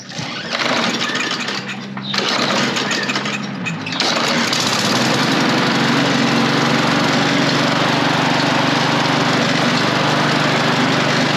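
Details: Toro Recycler self-propel mower, Briggs and Stratton engine, after removing stick jammed in drive: catches after a couple of short bursts, then steady even drone with no surging or knocking; running normally.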